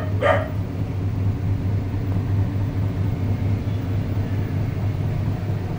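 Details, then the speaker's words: Panasonic automatic washing machine after inverter board repair for H12 and U12 errors: steady low hum of the drum spinning evenly, no knocking, scraping or rattling; normal spin, both errors fixed. "so yan Okay na nagspin na siya problem solve dalawang error h12 at saka u12"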